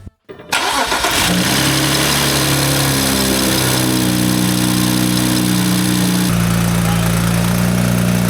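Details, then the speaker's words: BMW E93 turbo petrol engine catches and settles into a rough idle with a deep knock and a light wastegate rattle; aluminium aftermarket oil cap's cage had fallen apart, not properly regulating oil pressure; knock cause suspected. "Yep, you guessed it. Not only does it have a little bit of wastegate rattle, it has some uh not so kind knockk knockock noises."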